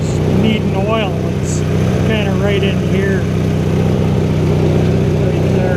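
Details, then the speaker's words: 1983 Sears Craftsman GTV/16 Varidrive garden tractor, opposed-twin 16 hp Briggs & Stratton, after replacing noisy idler pulleys and drive belts (rough flat-belt pulley suspected): steady low engine hum, no squeal or chirp, bird calls overhead; drive now quiet. "so when it's running you gotta have the this pulley a sixteenth into the variator belt and there's an adjustment for that but all quiet now"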